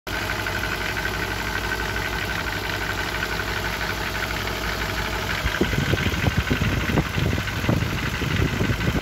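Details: 1994 BMW E34 M50B20 with VANOS and automatic; even idle, then irregular heavy knocks, not the hydraulic lifters; chains and tensioner shoes new, VANOS rebuilt, no oil use; present for years without change; source unknown.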